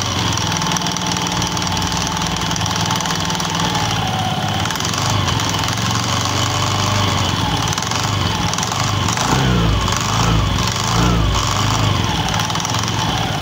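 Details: Honda Beat FI scooter CVT: uneven rattling clatter from the rear pulley area over the engine drone, typical of worn or mismatched clutch shoes; CVT clutch rattle.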